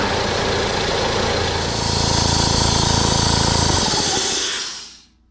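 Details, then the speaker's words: 21-year-old Ingersoll Rand compressor that stalls around 70 psi: loud pounding with a strong airy hiss blowing back out of the intake filter from leaking inlet finger valves, before valve kit replacement. "i'll fire this thing up and you can actually hear the hissing coming from the actual filter so from where she's meant to be sucking in it's blowing back out"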